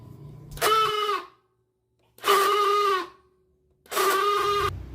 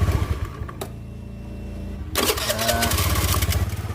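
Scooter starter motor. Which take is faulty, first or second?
first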